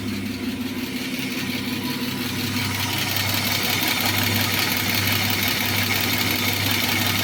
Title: стук гидрокомпенсаторов BMW E34 M50b25